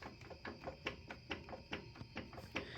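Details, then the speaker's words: Kohler Courage mower engine run out of oil: faint steady tapping a few times a second inside; internal knock, broken rod or piston suspected. "I don't know if y'all can hear that, but there's a little knocky knocky in there. So, I open this up and we're probably going to find either a broken piston or rod."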